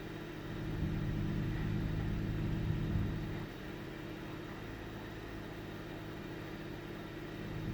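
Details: 1998 Ford Taurus SE V6 OHV, hood open, no warning lights: idle sputters and misses with mild RPM surging; earlier episode fluctuated 400–1000 rpm; intermittent rough idle, cause unknown.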